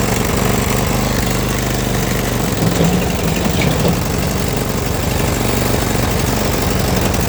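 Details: Snow blower gas engine after long storage, running after the carburetor bowl was removed and its center orifice cleaned of carbon with carb cleaner: steady, even putter, idling smoothly and holding speed with no stumbling or surging. Normal running.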